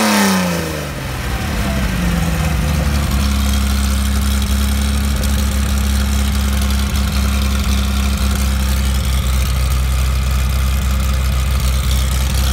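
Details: Mercedes-Benz 300SL engine on test after re-jetting, not yet in the car or under load: cranks, catches and climbs quickly, then settles into a firm, even idle with a low steady drone, crisp and healthy; normal idle.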